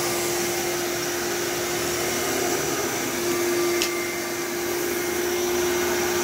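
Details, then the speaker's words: Old bagless Phantom Thunder vacuum with a dusty motor, running after a tripped reset button was pressed: a smooth, steady rushing roar with an even mid-pitched hum, no surging, rattles or grinding. It sounds like new; running normally. "so these phantoms are just at least the thunders are just tanks like i can't imagine how much dust and crap is in the motor and it still sounds like a brand new thunder"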